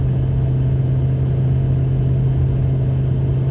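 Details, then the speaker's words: Truck with Cherry Bomb Salute muffler, factory Y-pipe to single muffler, cruising 70 mph in sixth gear at 2000 rpm: smooth steady deep exhaust hum, no drone or rattle, quieter on hills. "you can hear the exhaust run a little bit here it's nothing crazy though and it will quiet down depending on if you're going up or down hills etc"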